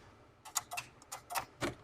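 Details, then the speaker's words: Sterling dump truck: sharp relay clicks about three a second chattering from faulty headlight module box on headlight mount; grounds verified good; diode problem inside module. "we finally figured out where the headlight module er was so we could hear the relay clicking in this box"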